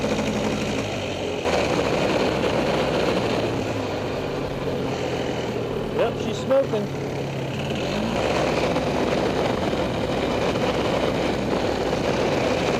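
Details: Freshly rebuilt Polaris 400 single-cylinder engine, back in the frame after a few heat cycles, on an easy break-in run: steady and even at low revs with gentle throttle blips, no knocks or rattles; healthy.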